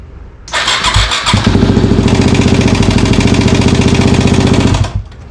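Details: Yamaha WR250 motorbike, engine "before" recording: cranks, catches and settles into a quick, slightly uneven lumpy thumping run; rough running, cause unknown.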